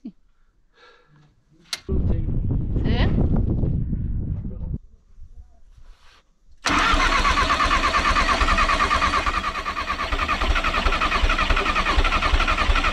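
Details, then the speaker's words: VW T3 diesel bus at over 4000 m in the Peruvian Andes, in the cold, after the fuel line was refilled by suction: labouring cranking, a pause, then it catches into a rough, knocking idle. Hard starting from air in the fuel system. "Die Höhe, die Kälte und die Luft im System machen es sehr schwer, unseren Bus zu starten."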